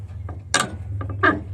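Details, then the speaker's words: 1982 GMC square body driver door, broken part spot-welded back on and lubed, worked by hand: short dry creaks and ticks over a low hum; door mechanism creaking, owner thinks it needs more lube, though it works. "sounds like it needs more lube, but it's working, so that's a bonus."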